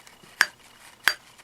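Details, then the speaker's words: 1974 Honda XL70 new replacement exhaust valve for a bent one, tested before lapping: two crisp metallic clicks about 0.7 s apart as it snaps onto its seat, a clean ring showing good seating. "that's usually a good sign it's what this supposed to sound like"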